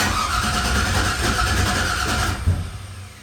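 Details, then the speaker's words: 1988 Chevrolet C30 with LS V8 swap, new 2.5-inch exhaust with headers: cranks, catches roughly, sharp pop at about 2.5 seconds then dies; startup backfire, owner suspects computer wants VATS or O2 sensors, plans computer swap. "Got a backfire. Ooh. So we're getting backfire."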